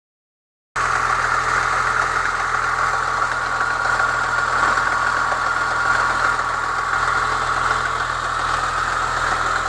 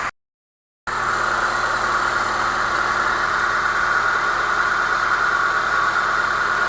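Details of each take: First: Chevrolet Niva petrol engine at cold idle: a fast, uneven metallic rattle near the first cylinder at the front of the block that disappears above about 60 °C; a new timing chain tensioner caused it, and the old tensioner with a modified spring fixed it. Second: Chevrolet Niva (Шэви-Нива), cold start at 16 °C: steady, even, smooth idle with no knock; the cold knock that vanished above 60 °C is gone after refitting an old part near cylinder 1 with a tightened spring.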